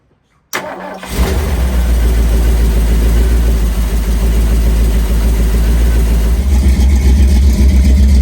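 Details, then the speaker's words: Rebuilt 351 Windsor V8 swapped into a 1973 Mustang, first start after many failed attempts: quick crank, fires and settles into a deep, steady idle with an even beat and no knocking or misfire. "I don't know about y'all, but I think this thing sounds pretty damn good."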